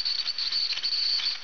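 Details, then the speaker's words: Tamiya TL-01 RC car with gear grind, wheels unloaded at light idle throttle: piercing steady high-pitched squeal; owner believes it comes from a worn motor; baseline before repair. "Yeah, hear that? That's a very high-pitched squeal. I believe that's coming from the motor itself."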